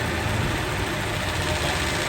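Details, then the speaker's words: Toyota Revo, engine idling with AC on: harsh, gritty mechanical churning from inside the AC compressor, which is low on oil; noisy compressor. "Kaya doon nasisira ang compressor lalo nagpalinis tayo, hindi nagdagdag ng langis."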